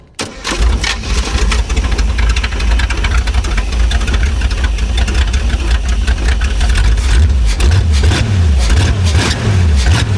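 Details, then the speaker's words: Abandoned Chevrolet C10 project V8 running through open pipes: fires up and settles into a loud, deep, even burble with no misses or knocks; sounds healthy. "All right. [Music] Sounds good. Yeah, it does. Really good."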